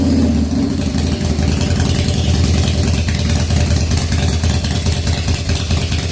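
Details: 1997 Harley-Davidson FXDWG, odometer 6,948 miles, first start after S&S carburetor repair and an updated crankcase vent kit, on a temporary battery. Cold V-twin idles lumpy and uneven with a wandering lope; the idle still needs setting. Rough cold idle.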